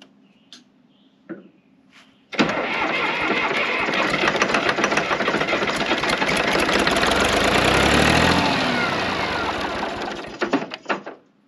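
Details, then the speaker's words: John Deere 350B crawler dozer diesel after confirming fuel at the injectors: catches at once and runs with an even, heavy clatter for about eight seconds before shutting off; sounded promising. "That sounded promising. Right there."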